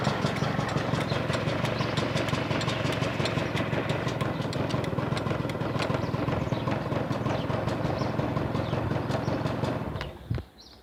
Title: Стук в моторе Honda Lead 90